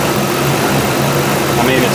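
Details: GM 5.3 V8 just after throttle body replacement, not yet relearned: holds a low, fairly steady idle with slight unevenness as it settles; otherwise runs fine, normal idle.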